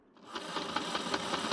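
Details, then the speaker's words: Hornby R2624 61xx OO-gauge loco, bought as non-runner, now powered: quick regular knock about five per second over motor whir, rocking side to side; owner suspects quartering issue. "Uh as it's actually got the power as we said earlier. Um you can just hear that clunking cuz something's not right."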